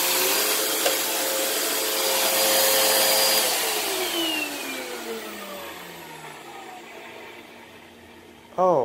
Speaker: sounds rough on the line down